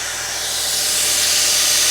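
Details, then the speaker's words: Crash-rebuilt 2023 VW Taigo first start after engine refit: strong steady hiss over idle with no clear beat; suspected belt tensioner or unclipped top air pipe, not confirmed: noisy idle. "fire in the hole alate sounds a little noisy all that belt tensioner that's that air pipe on top it's not click on properly"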